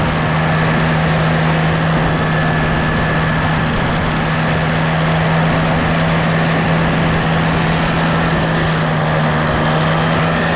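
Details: Case 188D diesel backhoe tractor after a year-long rebuild, driving on a four-mile road trip, good oil pressure and water temperature: steady low drone with constant hum, pulling evenly, no knocks or misses; normal running under load.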